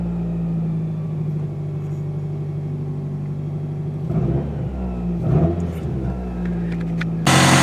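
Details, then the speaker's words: Circa-2000 Toyota Camry four-cylinder, 5-speed manual, demolition derby car: uneven, lumpy idle with wavering low drone and short throttle blips; sounds like a dead cylinder though owner says none is, cause not yet found. "it sounds like there's a dead cylinder but there's not a dead cylinder so I'm going to have to do some looking into this to see what it is"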